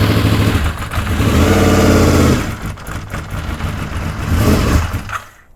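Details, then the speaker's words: Honda VFR750 restarted after correcting the swapped coil wires. Ragged, uneven firing stumbles on one or two cylinders, then surges louder as more cylinders catch once the carburettors fill with fuel; filling is slow even with fuel pump pressure. "e carbs completely full on these and it takes a little time to do that even with fuel pump pressure and then the next thing you know it doesn't want to run and it's only running on one or two cylinders and then boom kicks right in like you saw so that's what that was"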